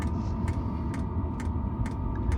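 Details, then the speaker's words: Camper van heater running inside at night: sharp, even ticks about twice a second over a low steady hum from the fuel pump and exhaust, the normal sound of the pump dosing fuel. "the ticking for the pump and the exhaust."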